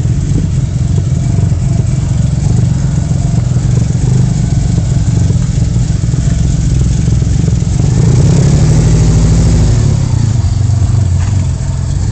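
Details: Vauxhall/Opel Vectra V6 idling with an uneven, stumbling beat, about three pulses a second breaking the rhythm; one cylinder misfiring, possibly a cylinder fuelling but getting no air intake; engine likely coming out again for a full recondition.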